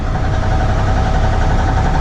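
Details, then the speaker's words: 4th-gen 6.7 Cummins diesel drag truck idling after track runs: deep uneven knocking in the low rumble, worsening as rpm rises; owner thinks rod knock, unconfirmed. Engine knock. "I think that's rod knock. Well, I guess we'll try and get it home."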